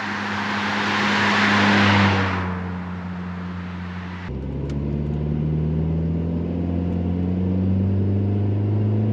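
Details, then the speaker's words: VW Mk4 2.0 wagon pulling away after a Techtonics Tuning exhaust kit fixed an exhaust leak. Steady, even low exhaust drone with no ticking or puffing. Sealed and no longer deafeningly loud; normal exhaust. "But really the main thing here is it's no longer leaking. It's no longer deafeningly loud."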